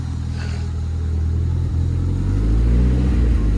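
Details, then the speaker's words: Ford Escort RS Turbo S2 engine after overhaul, heard from behind the car; even idle climbing cleanly when revved, no misfire after replacing faulty number-one spark plug with new gapped plug; sounds beautiful. "sounds sounds beautiful"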